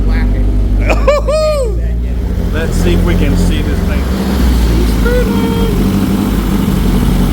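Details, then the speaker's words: Nissan 240SX project car, manual, first start running on its own, turbo not working yet and oil leaks present: low, steady, quiet idle rumble with no misses or knocks, a few squeaks on top; normal idle. "Listen to that. Nice and quiet, just like I planned. It's quiet."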